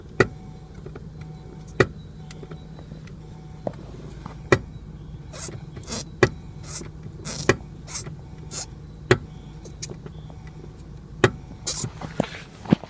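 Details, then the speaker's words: Sharp irregular single knocks every one to two seconds when the brake pedal is pressed, felt in the pedal; heard at the vacuum brake booster, not the calipers; cause unclear. "Короче, когда на педаль тормоза нажимаю, получается какой-то как стук, отдающий в педаль."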